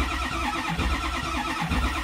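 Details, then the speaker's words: 2007 Ford 6.0 diesel, crank no start; cranking while watching the oil pressure gauge, which doesn't build at all; starter spins engine steadily with even compression pulses but never fires; later found to be a bad lifter needing full rebuild. "it's not building at all not even a bit so that's your first check"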